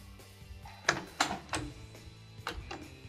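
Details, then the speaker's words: Eaton Fuller AutoShift/UltraShift XY shifter shutdown calibration with the transmission in neutral and ignition switched off: a handful of sharp, spaced clicks lasting about six seconds, showing a properly calibrated shifter and a vehicle ready to drive. "so if you heard our floor audible clicks there that indicates a good calibration and this vehicle is ready to drive"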